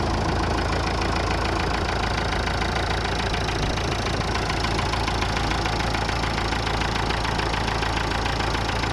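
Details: Massey Ferguson 290 tractor diesel starting after engine repair: steady clatter at about three and a half beats a second, even tone, no misses; idling cleanly.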